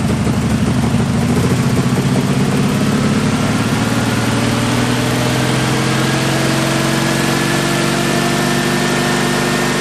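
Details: 1974 Jeep CJ5 revived after years sitting, just after its first start. Low, slightly lumpy, unsteady idle after a stumble; owner will raise the idle until fresh gas clears the varnish and stale fuel from the carburetor.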